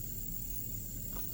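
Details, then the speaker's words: Ground loop hum: a steady low hum with faint hiss from a radio scanner through a truck's car stereo aux input, only when powered from the cigarette lighter; on battery it stops. Fix: ground loop isolator. "But that only happens when I'm running it on DC power from the cigarette lighter in the truck. If I'm running this just on battery power, it doesn't do it."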